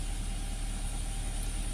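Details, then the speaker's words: Toyota Avanza after alternator (dinamo cas) removal: smooth, even engine hum at a raised idle near 1900 rpm, no knocks or misses; battery and oil warning lights go out after starting; charging complaint resolved, normal idle. "Tuh, normalnya kendaraan harusnya seperti ini, dengan RPM hampir 1900-an."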